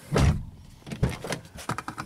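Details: 1997 Honda Accord EX sedan door after repair of a door that would not open from inside, with a broken connector spliced and the panel reassembled; solid door thunk, short power window motor whir and light latch clicks; door and window work normally.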